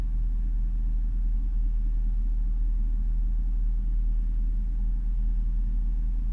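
Deep, steady low rumble at idle with a faint uneven pulse underneath; the engine sounds a little lumpy rather than smooth.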